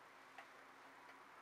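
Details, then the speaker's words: Regulator clock after calendar hand repair, case closed: crisp, even ticks about two-thirds of a second apart in a quiet room; pendulum clock running normally. "there we go there's the regulator ticking again so call this a wrap guys"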